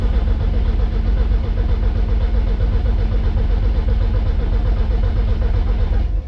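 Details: MK1 Rabbit with a swapped turbo engine, donor battery fitted, oil pressure primed, injectors unplugged so it can't fire: steady, even cranking about two turns a second, no misses or clunks; normal cranking.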